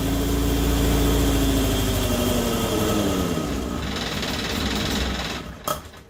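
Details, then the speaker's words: Morris Minor 1000 van with a Judson supercharger newly installed, air filter fitted: raspy idle hunts, revs sag and drift, then the engine stalls; owner plans to reset the carburetor idle jet. Unstable idle and stalling. "so having a hard time getting it to pick a constant speed seems to like either go crazy or cut off"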